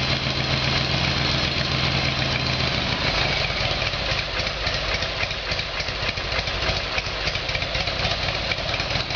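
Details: Harley Evolution Sportster V-twin after its carburettor fault was fixed, cold start on choke: a steady, lumpy potato-potato idle with no backfires or stumbles, running healthy and sounding much better.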